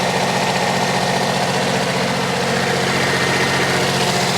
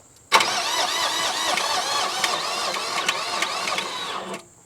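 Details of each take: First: Generac diesel light-plant generator, bought cheap at auction, just started with starting fluid and charging at 14.30 V. Steady, even diesel clatter with no misses, surging or belt squeal, no blow-by; normal smooth idle. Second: Generac diesel light plant bought at auction, cranked after glow plugs: starter whirs about four seconds with a labored, wavering pitch and never fires; slow cranking from a dead battery.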